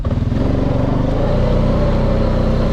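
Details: 2002 Honda Rubicon 500 ATV after wheel cylinder repair, test ride: engine pulls smoothly and evenly under acceleration with a steady rising drone, no clunks or slipping; transmission shifting healthy.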